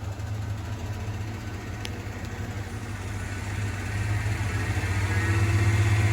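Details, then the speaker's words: 1993 Ford F-150 V8 hunting idle, rpm climbing and falling continually; owner first suspected an O2 sensor (no codes on a '93). Also fast idle at 35 mph with no gas; fixed by replacing the throttle position sensor. "Hear how it's kicking up? Then it's going back down. I'm thinking that's caused from an O2 sensor starting to go bad."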